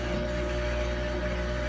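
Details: New Samsung washing machine running unusually loud. An even low hum with a faint higher whine runs steadily throughout, and no cause stands out.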